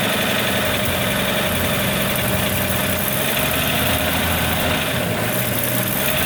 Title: 1941 Chevrolet 216 stovebolt 6 strange engine noise